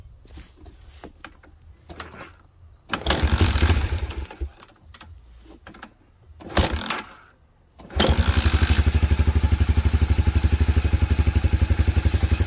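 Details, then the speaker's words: 1987 Honda TRX250 Fourtrax, sat about 10 years, carb worked on, temporary gas tank, idle turned up: after several cranking tries it catches into an even thump about four per second; idle jet not clogged, but likely dies on throttle from a clogged carb passage. "wow so it idles really nicely so that jet isn't clogged"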